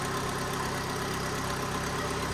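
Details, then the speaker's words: 2012 Fiat 500 Lounge, Cat S damaged car, at idle: steady idle with a rough, breathy chuffing underneath and no knock; owner suspects an exhaust blowing at the bottom connection, with slight seeping seen, not confirmed. "Sounds like an exhaust blowing or something."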